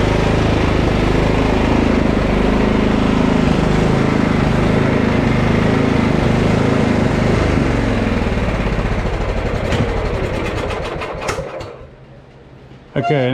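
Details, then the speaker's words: Husqvarna LT1538 riding mower, Kohler CV15 single-cylinder, mows a while then quits: an uneven beat that swells and sags, then fades toward stalling; fuel dab briefly clears it. Hunting suspected as a fuel issue, carburetor to be checked. "I still don't know if it's charging but I'm convinced that we're having a fuel issue usually hunting like that is a fuel issue"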